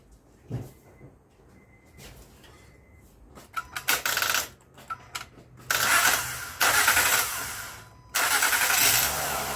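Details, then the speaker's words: 2008–2015 Honda Accord V6 after broken timing belt and bent-valve repair, first start: cranks in bursts, catches, settles into loud idle with faint unevenness, slight misfire while burning off oil; owner suspects limp-home mode. "got a slight Miss to it so it's got to burn all that uh oil"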